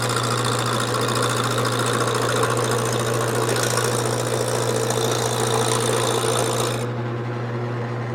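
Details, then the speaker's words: Wood lathe turning a square blank mounted off-centre and not straight: steady motor hum with a fast, uneven chatter as the gouge knocks the corners off. Some parts are round and others are not yet. "you can see that this area right here is pretty round and this area isn't all right and that's because of how I put it on here it's just not it's not straight"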